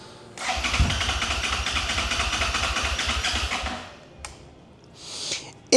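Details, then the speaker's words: 2011 Suzuki SFV650 Gladius on a jump pack: steady brisk starter cranking for about three seconds with no catch. Cranks but will not start; it turns over fine, occasionally kicks into life but won't run. "So, it's kind of trying to fire up. you do get the occasional like it it kicks into life a little bit but generally on the whole it's not running."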